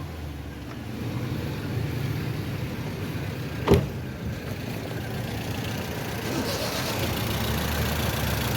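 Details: Toyota Corolla petrol engine idling rough and lumpy with an uneven shaking beat, a rare two-cylinder misfire.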